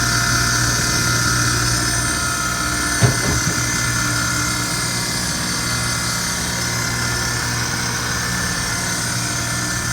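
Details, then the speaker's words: Amada 1 hp punch and die tool grinder on 230 V three-phase power, coolant pump running and the wheel switched on: a steady motor hum with a constant high hiss from the wheel and no grinding or speed wavering; normal running. "So that's your coolant pump, and then we'll turn on the wheel right there."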